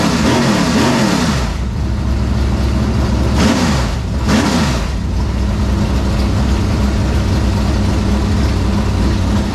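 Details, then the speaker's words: Dirt Late Model race engine: strong, even rumble with two clean rev sweeps up and back down, crisp throttle response, no knocks or misses. Normal engine revving. "Sounds good. Sounds real good. Sounds real good."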